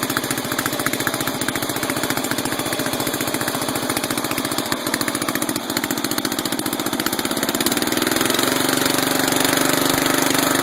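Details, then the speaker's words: 12.5 hp flathead mower engine ("biohazard"), sat about three weeks, uneven chugging, stumbling and popping, wants to die when backed off high throttle; backfiring through the carb. Owner suspects carburetor; rust later found in bowl, carb to be cleaned. "Backfiring through the carb. Carburetor may be a little screwy on the biohazard, so we're going to pull her off and clean it."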